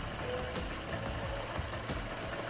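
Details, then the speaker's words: Honda Vario 125 scooter idling after first throttle body carbon cleaning: soft, even putter with no misfire or rattle, smoother than before cleaning; normal idle. "Motornya berhasil dihidupkan dan suaranya lebih halus dari sebelum kita membersihkan carbon body."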